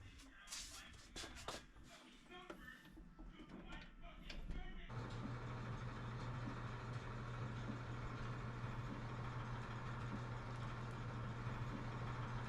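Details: Clothes dryer after a home repair of its knocking and squeaking: some clatter at start, then a steady, even hum with a low drone and no knocking or squeak; running normally after the fix.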